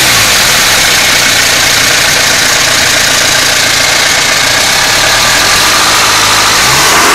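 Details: Mitsubishi Pajero Exceed 2.8 TDI diesel, at idle and revs: loud clatter with a busy metallic rattle, roughly four per second; owner suspects timing chain, unconfirmed.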